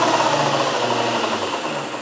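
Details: Land Rover LT230 transfer box, rebuilt and bench-run at higher speed: busy metallic whirr with a high steady whine and a hum fading as it winds down; centre diff ruled out, exact source not yet pinpointed.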